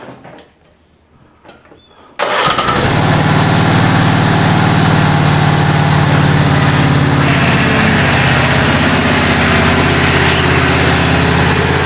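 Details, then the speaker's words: Toro Time Cutter SS5000 zero-turn mower after a new drive belt and new drive tires, started after resting level: quiet, then the engine catches and settles into a steady, even drone through forward and reverse; drives successfully. "But let's turn it on. Just make sure everything's going to work."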